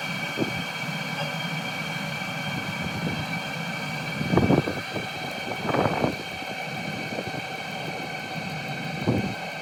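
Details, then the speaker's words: Cheap Chinese 12V diesel heater on lithium battery at about 11.5 V, pump reduced to minimum heat setting: steady fan and burner hum, even tones, occasional bumps, no surging or misfiring; running normally. "so as you can hear the diesel pump has actually been reduced virtually to minimum heat setting"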